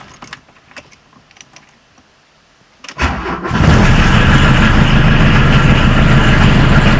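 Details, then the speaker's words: 1979 Volkswagen Rabbit (US-market Mark I Golf) 1.5-liter diesel, cold start after glow plug warm-up: quiet key rattle, brief crank, fires straight into a steady, even diesel idle clatter with no misses; normal start. "First I'll have to warm up the glow plugs because it's a diesel. And now caution, ear rape alert."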